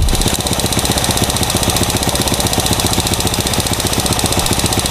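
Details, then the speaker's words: Honda Supra, new carburetor, plugs fouling: choppy uneven idle with ticks stays flat as air screw goes from two to three turns (normal 1.5); no RPM rise, mechanic suspects leaking valve. "tiga putaran. Dari dua putaran ke tiga putaran itu enggak ada perubahan RPM."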